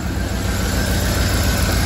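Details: 2012 Cadillac Escalade 6.2L V8 misfiring on cylinder 7, with no compression there (below 25 psi) because its lifters are stuck collapsed; steady low rumble with a slightly uneven pulse from the dead cylinder.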